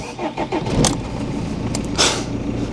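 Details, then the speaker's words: BMW E46 320d Touring diesel, after sitting about two months, on a jumper pack, with the fuel pump audibly priming: brief crank, catches at once and settles to a steady idle, no long cranking or hesitation. Normal quick start. "Fired straight up. I just don't get it. It literally just fired straight up, no hesitation, no long cranking whatsoever."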